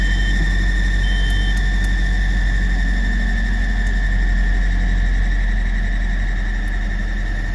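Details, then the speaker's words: Nissan Frontier at startup, before repair: steady high-pitched squeal over the idling engine, quieter after the belts were washed but still bad; the alternator belt is stretched, oil-coated and slipping, tensioner near max reach. "I don't know if y'all can hear that. It's pretty bad. It's not as loud, but it still is."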